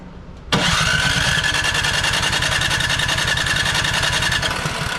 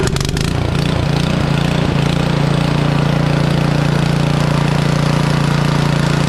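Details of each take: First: Craftsman snow blower (Huayi carburetor, Powermore engine), sat unused a couple of years; starting fluid sprayed into intake, rough uneven chuffing, turns over but won't catch. No-start from gummed carburetor with stuck throttle plate, governor unable to move. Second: Craftsman (Troy-Bilt/MTD) snow blower with Powermore engine and Huayi carburetor, sat a couple of years, after an ultrasonic carburetor clean and rebuild; started warm on choke without priming and holds a steady, even drone with no surging: normal running.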